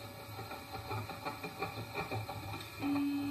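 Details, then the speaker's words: Printrbot Jr. 3D printer homing all axes to origin after assembly, ending with the extruder about a paper's width above the blue-painter's-tape-covered bed. Quiet, even stepper whir with light ticking, no grinding or skipping; normal axis homing. "okay so i'm just going to hold them all and this doesn't go to the origin okay"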